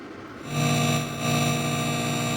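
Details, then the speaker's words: 5.1 manual amplifier with a USB Bluetooth (ESP) audio board switched on and nothing playing: a loud, steady ground-loop hum rises with the volume. "பயங்கரமான earth noise வருதுல இதை எப்படி நம்ம stop பண்றதுன்னு உங்களுக்கு சொல்றேன்"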